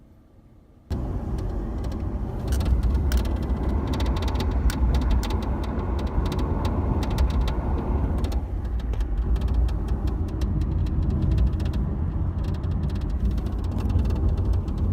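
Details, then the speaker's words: 2014 Dodge Charger SE with the 8-speed automatic: scattered, irregular light clicks and rattles around the shifter over road rumble, starting above about 40 mph; the cause is not found even with the shifter removed. "see so I don't know what the hell that clicking was this it's annoying if any of you know what it is please let me know"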